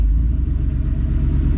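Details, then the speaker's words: Ford F150 on Multitune, switched back from the Ghost Cam idle with resume-minus: a deep, low rumble with an even pulse and no lope or chop, back to a regular, smooth normal idle without issues. "Back down to regular, smooth, normal idle without any issues."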